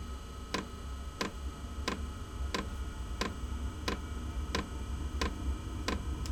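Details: Inexpensive diesel heater in a shed workshop at startup with glow plug on; sharp metallic ticks about every two-thirds second over low hum; fuel pump ticking loudly while priming, expected to fade after startup.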